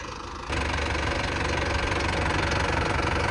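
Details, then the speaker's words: New Holland 5500 tractor, 55 hp rotary-pump diesel used for paddy threshing, starts after a no-start and catches at once into a steady clattering idle; the no-start was a flat battery, since the alternator isn't charging. "ये हो गई चालू यह देखो भाई situation प जाने की मुझे हंसी आ रही है यार"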